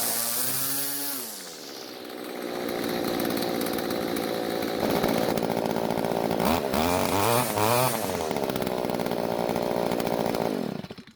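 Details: Stihl two-stroke string trimmer after carburetor tuning (L screw about half turn clockwise, H screw quarter turn counterclockwise, limiters removed): steady high-rev buzz, then clean blips down and up with crisp throttle response; running evenly.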